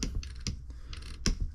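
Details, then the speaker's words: Bafang M620 e-bike mid-drive motor, replacement pawl clutch/freewheel that previously failed to engage the pedal cranks: hand-turned, crisp irregular ratchet clicks as pawls snap in; working correctly after repair. "that was not engaging with the pedals of the cranks. So it's working correctly now."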